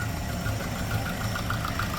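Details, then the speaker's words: 1988 Volvo 240 after rebuild, warming up to temperature: steady even idle around 700–800 RPM with no misses; smooth healthy idle, though owner notes bad piston slap remains. "That is idling nice and smooth. It's getting up to temp and we're at what's that 800 RPM?"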